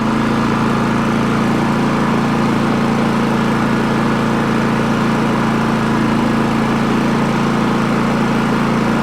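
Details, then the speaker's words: Champion 4500 W dual-fuel inverter generator, eco mode off to check battery charging (starting battery about 13.0–13.1 V): steady constant-speed drone, no misses, surging or knocks; normal running. "Take it off eco, see if it actually revs up and puts more toward the battery."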